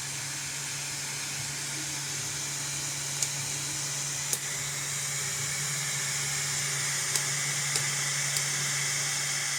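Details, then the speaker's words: Bambu Lab A1 3D printer after fan disassembly, cleaning and screw refit: steady even fan hiss with low hum and faint clicks, no scraping; previous noise when starting prints is gone. Normal running after repair. "Bom, pessoal, agora, ó, sem barulho, ó. Girando ali, ó, sem barulho nenhum. Eu vou ligar a impressora aqui e vou mostrar para vocês que o barulho já não tem mais."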